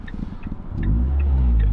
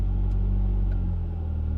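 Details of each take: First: Ford Fiesta ST150, warmed up, after replacing a split PCV hose behind the intake manifold that caused a sticky idle: quick rev drops cleanly back to a smooth, steady idle with no hunting or surging. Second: Fiesta ST150, cold engine: after a throttle tap the idle hangs raised around 1k rpm, only slowly settling; a vacuum leak from a split PCV hose behind the intake manifold, not fixed by throttle body cleaning or new intake hoses.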